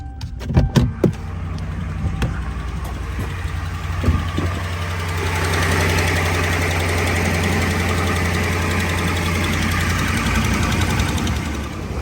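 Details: Ram 1500 5.7 HEMI before repair: after start-up, a light rapid ticking about four per second rides over the idle, from warped exhaust manifolds with broken bolts leaking at the head; fix is resurfacing manifolds, new gaskets and bolts.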